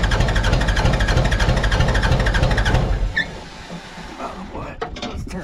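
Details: Mitsubishi BD2F dozer diesel, unrun for years, cranked while bleeding injector lines; steady cranking about three beats a second under three seconds, no firing; cranks but won't start.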